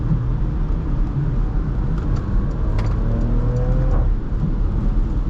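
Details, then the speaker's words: 2015 Porsche Macan S, 3.0 V6, about 10 years old, hard acceleration: strong pull over road noise then sharp crackles at each upshift when floored; normal exhaust pops, sounds phenomenal. "That's the pop I'm talking about. Yeah. Every time you floor it, upshift it, it sounds phenomenal."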